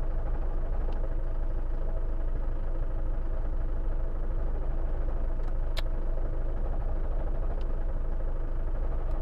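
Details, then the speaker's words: Van idling with a deep, steady rumble and a faint, loose rattle about 2.5 times per second. Owner says the gearbox bearings are going; pressing the clutch pedal was hoped to quiet it. "I've got a rattly gearbox the bearings are going in this gear box Ratt Ratt rattly go sorry I had to put me foot on the clutch hopefully it won't be so noisy now"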